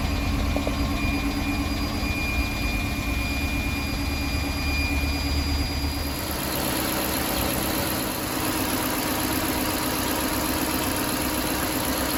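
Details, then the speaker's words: Chrysler 300C 5.7 Hemi after head gasket replacement, running while air bubbles purge from the cooling system: steady, even low-rumble idle with no knocks, ticks or misses; sounds a lot better. "a lot better after it's been running a little bit of bubbles inside there getting all that air out cooling system"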